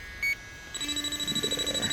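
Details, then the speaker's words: JB Industries LD Prowler 5000 electrochemical refrigerant leak detector probing the bottom side of a coil. A single high beep, then fast steady chirping as it pinpoints the leak spot. "There it is. It's pinpointing that leak right there."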